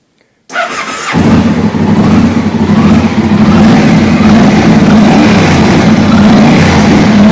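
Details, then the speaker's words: Yamaha TDM 850 after the cam chain tensioner was manually pushed in and the bike reassembled: it fires up into a fast idle with a loose, uneven top-end clatter. Only slightly quieter; the cam chain likely needs replacing. "И слышим, что особо результатов никаких это не дало. Стало чуть-чуть тише, но, судя по всему, надо менять цепь ГРМ."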